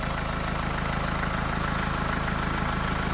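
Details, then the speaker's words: Renault Twingo 2 1.5 dCi with replacement engine, after replacing the high-pressure fuel pressure regulator: steady diesel idle on all 4 cylinders, even clatter, no hunting or stalling; no bubbles in return circuit. "la voiture elle tourne impeccable donc là la voiture elle tourne elle tourne en 4 cylindres le ralenti est devenu stable"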